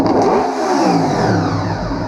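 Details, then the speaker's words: 1998 Honda VFR800Fi that sat about 8 years, run with airbox open: idles fine and revs cleanly on gentle throttle, but stutters and bogs when throttle is snapped open; blamed on a mass airflow control issue. "you can hear how it's stuttering. And the reason that it's stuttering is because there's an issue with the mass airflow control."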